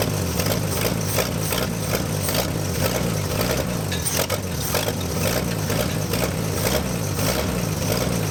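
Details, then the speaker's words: Chevy C10 truck, first start after sitting for decades, broken exhaust manifold bolt: rough uneven idle with rhythmic slapping scrape, alternator belt shredded by badly misaligned pulley. "I don't know if that oil pressure gauge works I really hope it doesn't we're idling though we were we shredded the alternator belt that's what happened that's okay we didn't need that anyway oh wow the alignment for that pulley is terrible look how off that is no wonder it just shredded it"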